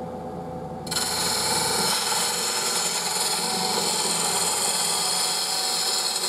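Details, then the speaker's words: Wood lathe bowl gouge on cross-grain cut: steady hissing rasp with a fluttering, uneven buzz as the gouge crosses, tool chatter; fix is smaller cuts, pulling the tool on the rest, lowering the tool. "You hear that vibration uh as I come across the engine."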